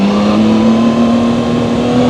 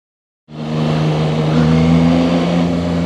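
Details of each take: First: Zontes 703RR inline-three motorcycle at 9,500 km, accelerating. Engine tone rises cleanly with none of the buzzing heard at low speed in second gear; healthy engine sound. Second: Zontes 703RR inline-three at 9,500 km, riding slowly in second gear under light load: steady low drone with buzzy edge from the engine, no knocking or vibration; owner dislikes this unexplained buzz.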